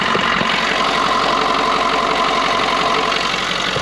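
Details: 6.7L Power Stroke diesel after fuel line replacement, restarted after fuel spilled out: settles into a steady idle with even clatter and a light high rattle on top, no misses or stumbles; normal idle.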